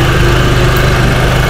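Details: Honda Vario 110 scooter after water pump mechanical seal replacement (coolant had leaked into the oil, turning it milky, and the overheat light came on), coolant refilled, running about 5 minutes for a hose leak check: steady, even, healthy low idle.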